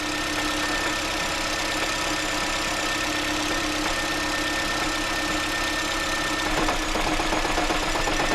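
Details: Honda Jade or Toyota C-HR hybrid at idle with a fuel-injector problem, rich fuel trims and misfires, injectors switched off: light uneven rattle about four a second from the gearbox side; identified as the transmission damper disc, not the engine.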